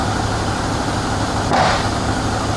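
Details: Toyota Camry with an intermittent no-start and backfiring, fixed with a new sensor: a steady idle, then a quick clean rev and drop back with no miss, pop or stumble. Healthy after the repair.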